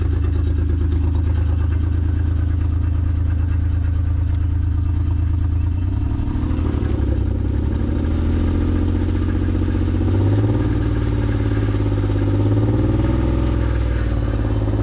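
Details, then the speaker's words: Acura TL base (04-06) 6-speed engine running after smoking on the drive home, not overheating; owner suspects failed piston rings: loud, deep uneven note with heavy rumble wavering at steady throttle; cause unconfirmed. "Give it a little while. And it sounds super loud too."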